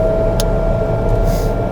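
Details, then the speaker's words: TBM 930 turboprop cold start, 5°C: starter drops off as Ng reaches the green, second igniter set engaged around 50%, then steady turbine roar with faint whine settling to low idle, ITT coming down; healthy. "now we're into the green there the starter has come off now we'll go into going to low idle"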